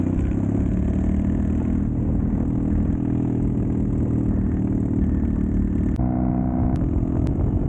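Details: Triumph Bonneville T100 with drag pipes, riding under throttle: deep even grumble with no pops or backfires; running clean, power restored.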